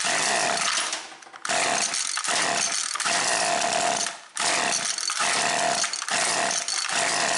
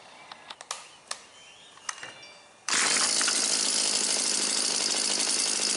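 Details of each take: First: Husqvarna 325P4 non-telescoping pole pruner, two-stroke: cranks fine, then screams, cuts out and catches every second or so, missing like crazy; severe intermittent ignition miss, first suspected fouled plug, traced to slid-back insulation on the spark plug lead. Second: Husqvarna 325P4 pole saw, two-stroke, after repairing the ignition fault behind its severe miss and intermittent no-start (taped and sleeved): snaps to life after a few pulls, steady even high-pitched buzz, no misfires or stumbles.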